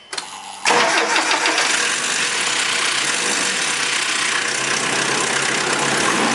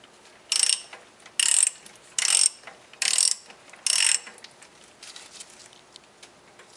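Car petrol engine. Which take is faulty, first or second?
first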